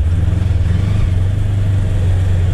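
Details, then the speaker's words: Polaris Ranger XP1000 with new Hunterworks HW-925T drive belt, 660 miles on it, pulling off the line at low rpm around 1500 engagement: even rising engine note, no surging or jerks, smooth CVT engagement unlike old belt. "there's a little bit of you this sound but it's nowhere near the kind of herky jerky engagement at that low rpm low speed off the line high high torque requirement it's just this belt man"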